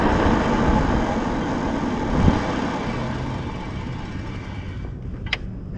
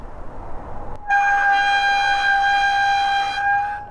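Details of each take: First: Stunner X eBike hydraulic disc brakes after replacing fluid-contaminated pads: smooth slow stop, road and wind noise fading with no squeal. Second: Stunner X e-bike rear full hydraulic disc brake: loud, piercing steady squeal around 800 Hz while braking, louder than a car horn.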